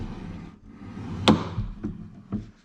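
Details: Toyota FJ Cruiser rear door closing after its loose nuts were tightened: one clean, solid thunk with no rattle or buzz. It had always made a noise on closing before the fix.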